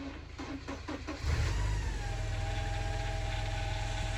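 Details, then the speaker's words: Porsche 944 after cambelt change and refitting alternator and power steering pump, engine started for bleeding: cranks and catches, then faint steady whine over idle, normal as air purges from refilled power steering system. "the slight whine. This is normal as air purges out the system."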